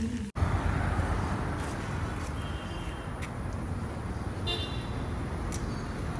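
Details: Honda CD100 SS after full strip-down restoration, first road test ride before handover: steady low single-cylinder drone under way with traffic around, no knocks or rattles; smooth and healthy.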